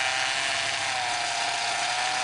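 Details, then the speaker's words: Power steering noise while the wheels are turned back and forth: a steady mid-pitched whine with a gritty, groaning edge, caused by air trapped in the system. Fix is evacuating the air with the reservoir cap off and a plug fitted in the filler. "Now we're going to see what we can do about taking care of this noise. What we need to do is use to try to evacuate the air."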